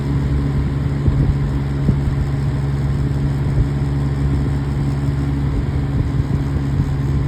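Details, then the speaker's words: 20-inch Haier box fan made in January 2004, running on high with a steady, even rush of air over a low hum and no buzz or rattle. "And yes, it does run. So we'll go ahead and start it up on high."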